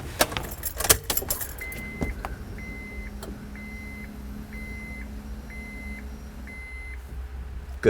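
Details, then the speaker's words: Honda power antenna during repair, fastener tightened and radio turned on: a low, steady antenna motor hum runs about five seconds and stops at full travel, confirming the motor fully extends normally before inserting the new toothed antenna mast. "next turn the radio on until you hear the motor fully extend so that you know that it's as if the antenna was all the way"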